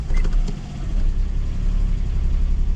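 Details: Duet after throttle body work, warm idle with the check engine light on: starts at high revs, then rumbles unevenly and stumbles, dipping and sneezing. Misfire, cause still unknown.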